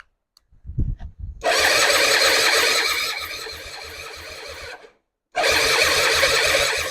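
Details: 2005 Suzuki Intruder 250 LC bought as a non-runner, spark confirmed: starter churns in even pulses about three a second for several seconds and never catches; cranks but won't start, compression test next.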